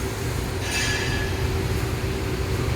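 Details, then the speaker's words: 25-year-old 50-ton Trane split-system HVAC blower on startup after new belts were fitted; an even low rumble with a faint constant hum and no belt squeal or slap, running smoothly. "just put new belts on and that was a nice smooth startup nice new startup inside"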